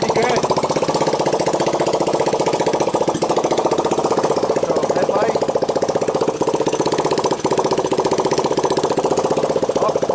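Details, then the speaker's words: 1985 Honda ATC 200X junkyard three-wheeler after a cold start on starting fluid, camera on the tire. Even single-cylinder beat at about four pulses a second with no ticking, chain slap or bottom-end knock. Normal idle. "Sounds good, no valve noise, no timing chain noise, no pump bumps in the bottom. No bad sounds."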